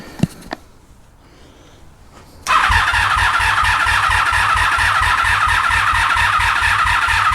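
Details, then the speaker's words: 1983 Honda Magna V45 after oil change and petcock repair, battery reading low, choke on: starter spins the engine in an even chug, about three and a half beats a second, never catches; fuel petcock left off. "did anyone guess why the bike didn't want to start at first did anyone guess the fact that I didn't turn the fuel thing backy on petcock"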